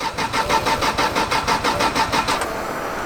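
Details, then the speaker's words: Drift car cranking: about ten even starter beats, roughly three a second, never catching or firing; fuel pump heard turning on and off; crank no-start. "Come on, baby. Get it going. The fuel pump's turning on and off."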